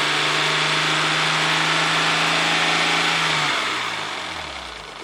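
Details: 1994 Ford Probe GT, holding a clean, steady tone at about 3000 rpm, then winding down evenly with no knocks; oil pressure is about 54 psi, low-end but within spec.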